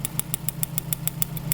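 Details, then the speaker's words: 1995 Mitsubishi Libero 4G15 waste-spark engine with loss of power after plugs, cap and wires were changed. With the No. 1 plug lead pulled, snapping spark ticks sound over a lumpy misfiring idle; the strong spark shows the distributor works well. "spark is jumping out the coil and jumping real far right and you hear the vehicle misfiring so that's telling me that this distributor is working real good"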